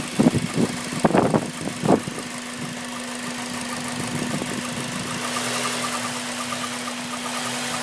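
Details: Honda Civic Type R, warm engine at idle (quiet for the first 10 minutes); light metallic rattle in quick bursts, unchanged by oil change; cause was the timing chain tensioner, since replaced.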